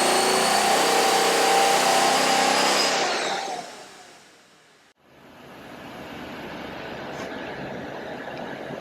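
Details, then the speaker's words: 1937 Cord 812 supercharged V8 with horizontal valves, roller rockers and a 6-to-1 supercharger, pulling on a dyno (4,200 rpm engine, data to 4,000). A strong, steady roar under load drops away smoothly as the throttle closes, even and clean: healthy. "You can hear the dyno is pulling down or putting a load on the engine, and then we let it go at a certain rate, and that's what's going to measure our torque and calculate our horsepower."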